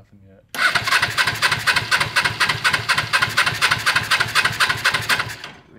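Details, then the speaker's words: Suzuki GS450 motorcycle engine in a go-kart racing lawn mower, first start attempt: steady starter cranking about four compression pulses a second for five seconds, never fires; no spark, ignition fault under investigation, something burnt later found. "we have ignition let's find out thank you cranking no spark let me try it again no spark all right so we're gonna have to figure out what is going on with the ignition"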